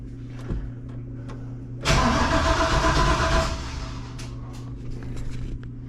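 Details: Junkyard 6.0 V8 swapped in to replace a burned-up 5.3, main and rod bearings checked, first turnover before starting; starter spins it in a quick even burst, about four beats a second, with no knocks or binding. Normal cranking.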